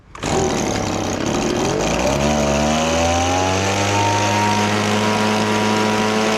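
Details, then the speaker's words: Echo PB1000 two-stroke leaf blower bought at a garage sale: catches after fuel is shot into the engine and settles into steady buzzing; runs only primed, owner suspects partly gummed carburetor. "I think what's happening is, when shooting gas down this little, shooting 2-cycle gas down this 2-cycle motor, what's happening on this leaf blower, you shoot it and then it's collecting fuel from the actual tank. So that means it's partly gummed up where the carburetor will need some fixing."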